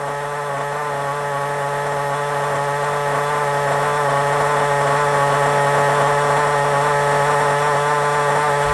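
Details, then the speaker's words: FTX Carnage nitro RC car left running outside until its fuel runs out: small engine buzzing at a steady high speed, clean and even with no sputter or surging; it runs about 20 minutes and works fine. "it's out there now running you can probably hear it run out in a minute don't worry about it when it runs out i'll bring it back and put it here then we can have a look at it"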